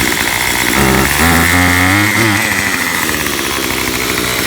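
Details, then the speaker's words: Makita 2500 leaf blower, about five years old, first start after six months stored, hardest start; small two-stroke buzzing unevenly at idle, speed wavering and stumbling; never adjusted, owner suspects it needs adjustment; rough idle. "ah okay that was the hardest one to start does need some adjustment it sounds like i've never adjusted it"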